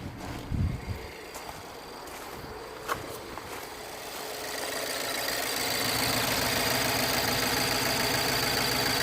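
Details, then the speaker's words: 2009 BMW 318i E90 (believed 2.0 petrol), after repair of cylinder 3 misfire (codes cleared): engine catches and settles into a steady, even idle with no stumble or skipped beats; running perfectly, no misfire. "he's definitely driving fine he's definitely not misfiring beautiful beautiful definitely it's running perfect"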